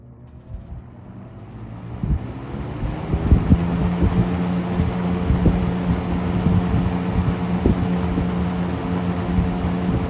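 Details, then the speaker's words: Late-1970s Toastmaster 7324 box fan, 2.2 A, during restoration: motor spins up to a steady low hum under a strong rush of air, no rattle or buzz; runs normally after earlier whining. "she sounds good now there's a there's a plus"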